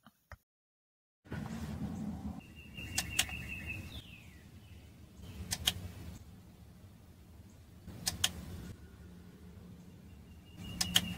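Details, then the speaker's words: 2008 Toyota Corolla with odd shifting (P0741/P0751), oil pan off, shift solenoids tested in the transmission with 12 V: sharp clicks each time power is applied, a couple of seconds apart, because they are installed; solenoids switching normally. "do you realize they click every time I apply 12 volts that's because they are installing the B right now but once you take them out they will click only once"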